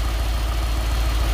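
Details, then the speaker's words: Nissan D40 Navara with swapped-in VK45DE V8, first start after engine change, idling slowly around 500 rpm with an uneven lumpy beat and stumble; one cylinder down, traced to a dirty injector connector contact. "i think we still got one not quite right yeah it feels like one down"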